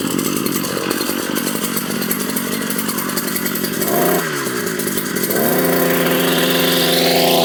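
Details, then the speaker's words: Brush/weed cutter two-stroke after repair work (clutch/liner, air filter, greasing), running after reassembly; high-pitched buzz steady, dips briefly, then revs up cleanly; machine ready, no trouble now, only slight tuning adjustment needed. "ಹಾಂ machine ready ಆಯ್ತು. ಇವಾಗ ಏನು ತೊಂದರೆ ಇಲ್ಲ. ಒಂದು ಸ್ವಲ್ಪ tuning adjust ಮಾಡಬೇಕು, ಮಾಡಿಕೊಂಡ್ರೆ ಸರಿ ಆಗ್ತದೆ."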